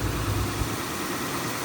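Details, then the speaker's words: Toyota/Lexus 1UZ-FE/2UZ-FE V8 idling after the drive belt tensioner pulley bearing was replaced, with the SAS pump now off: low, even rumble with no squeal or chirp from the belt side; sounds healthy. "Oh, it's off now. Now you guys can hear the engine."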